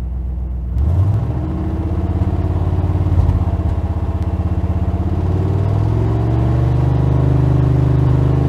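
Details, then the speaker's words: 1999 Suburban stroker engine with new standard-pressure oil pump, warming up: strong even V8 rumble rising with revs, no knock or tick; 40 PSI at idle versus 60 PSI cold with the old high-pressure pump. "We're already at 40 PSI, which is much better than we were at idle before while it was cold, because we were at 60 PSI before."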